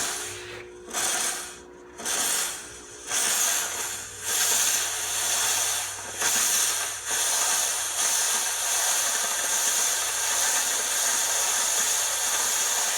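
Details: Oreck floor steamer after its handle fell over: pulsing steam hiss over a low pump hum that keeps running without cutting out, as the handle trigger switch cannot shut it off; the switch had fallen out of its mount.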